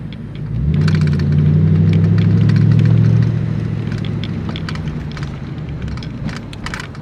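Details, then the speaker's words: 1999 Ford Mustang GT on test drive after new shocks and tires fixed a rear wobble: engine swells under acceleration then smooth cruise with no clunks, chatter or brake squeal; suspension quiet. "we're gonna see if it still twerks No Twerk I don't feel no noise no chatter"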